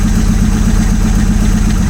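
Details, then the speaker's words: 1947 Chrysler first started after decades of sitting, at idle. Low lumpy idle with an uneven pulse that smooths out with revs; one cylinder suspected of very low compression. Misfire at idle. "Still a bit of a miss, but I think this has got, you know, there's some questionable compression on a couple of these cylinders."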